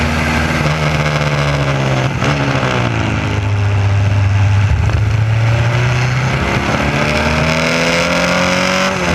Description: trying to race with a misfire caused by a distributor wire getting pulse signals from the electric fuel pump.